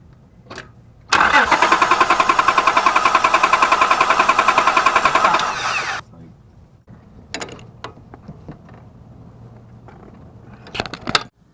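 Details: 1999–2004 Honda Odyssey 3.5L V6 no-start: starter spins the engine with even chugging for about five seconds but it never catches; no fuel because the fuel pump relay failed, fixed by replacing the relay.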